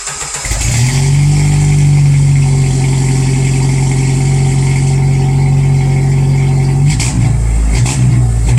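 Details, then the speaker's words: Exhaust with TotalFlow muffler after fixing leaks from loosened clamps with new simple clamps and welding a gap with a Walker pipe, revved outside: deep, steady drone with no ticking, puffing or rattle; exhaust sealed and sound. "I'll do a little revving and give you a perspective of what the TotalFlow muffler sounds like, also when it's not leaky."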